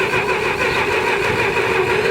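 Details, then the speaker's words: Massey Ferguson 65 tractor sat for years, cranking after gas poured into cylinders: steady cranking drone, catches faintly but never picks up; carburetor not delivering fuel, fuel starvation, carb to be worked on. "So the problem is it's not getting any gas. The carburetor, you see it wants to go."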